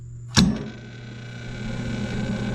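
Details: Hybrid Fire Free Heat Machine model 150 outdoor wood boiler, over 10 years old, temperature set at 170: a sharp click, then a steady low hum with a faint fixed tone as the blower spins up and runs evenly; blower running normally.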